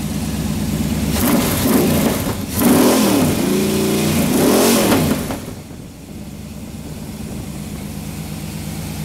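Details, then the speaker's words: Freshly broken-in Chevy 350 V8 with a Holley carburetor, on the stand: smooth, even revs rising and falling over a steady burble with no knocks or ticks, returning to idle; sounds healthy, no oil leaks, flywheel noted to wobble. "could listen to this thing idle all day long."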